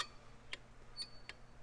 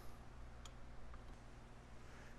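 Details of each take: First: Cable-type drum brake: shoe rubbing over dry, rusty backing plate contact pads makes short, high scraping chirps; pads should be cleaned, and a worn ridge there can click or snap. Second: Bendix-style cable drum brake, braking in reverse: two crisp light clicks as the self-adjuster lever moves and turns the star wheel when shoes travel too far; normal operation.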